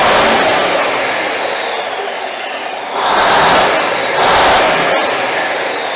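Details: Cummins 855 Big Cam IV NTC 350 diesel, cold first start after an in-frame overhaul: loud steady roar with a rising whoosh, fuel takes a little while to reach the injectors, then runs smooth and even with no knocks or misses.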